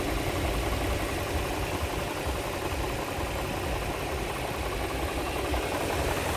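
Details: 2004 Infiniti FX35 at idle gives a steady idle with an uneven low thumping and a rough hiss over it. There is an extra mechanical noise in the engine, source not pinned down.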